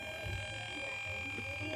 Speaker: yang tadi ini ya sudah menyala dan di speaker bisa kita dengar sama-sama ada suara berisik ya atau noise ini saya dekatin sangatlah tidak nyaman sekali kalau kita dengar ya.